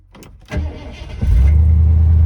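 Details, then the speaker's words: 1979 Ford F100 Ranger XLT V8, abandoned truck revived, fuel pump suspected not pumping: brief crank, catches at once and settles into a strong, even idle; starting easier each time. "all right better and better and better look at how easy this thing starts now"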